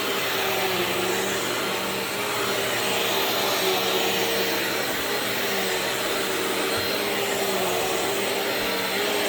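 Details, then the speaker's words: Bissell CleanView Swivel Pet 2252 vacuum running: steady high motor whine, faint tone near 400 Hz with rough, slightly dry edge; owner thinks motor sounds a bit dried out compared to others, less noticeable once running, cause unconfirmed. "I noticed the motor on this seems to sound a a little funny but once I started running it it seems to not be super noticeable but the motor sounds like the it's a little bit dried out compared to other ones"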